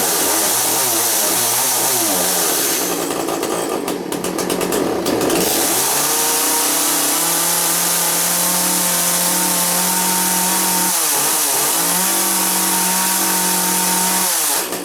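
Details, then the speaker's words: Chainsaw in for repair, test-run after work, chain brake locked: fires, settles to even idle, revs up cleanly and drops back twice with steady tone; much better, running properly. "Okay, let's just see what back is up here. And we'll fire it up. Fired up! Okay. That on, that up. That on, brake locked. Much better."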